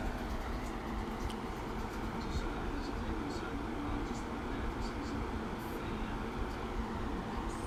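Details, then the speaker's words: Windstream electric fan: steady loud whooshing rumble with no rhythm or rattle, yet it barely moves air because airflow is restricted; loud fan noise. "so here we go it just makes a lot of noise but it hardly moves no air so if you don't hear the wind stream on the camera that's why"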